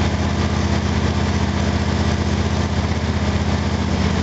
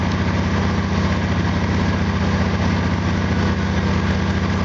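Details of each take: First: Small engine (FG8) on an exhaust analyzer, before spark plug gap adjustment: uneven stumbling thump about four beats a second, misfiring and cutting out, hesitation causing a spike; owner says it ran smoother after increasing the gap. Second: Small engine (FG8) idling on an exhaust analyzer after spark plug gap increased 20%: even, steady low idle with regular beat, no misses; running smoothly with lower CO, hydrocarbons and CO2.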